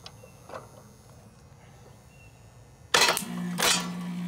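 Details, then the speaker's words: About 1991 ICP outdoor AC unit, condenser fan running but compressor not starting, hard start kit temporarily on the capacitor: quiet, then a hard clunk as the stuck compressor breaks free and settles into a steady hum. "She took off. Hard start broke her free."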